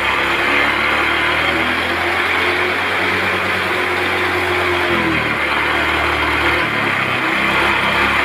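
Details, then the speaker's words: Honda automatic scooter that was hard to start and stumbling, running after the EOT sensor was removed; steady, even hum with no stumbling, a clean, smooth idle. "hidupnya Akak gampang setelah kita lakukan Cara ini hidup gampang berbuat di awal juga hilang ya"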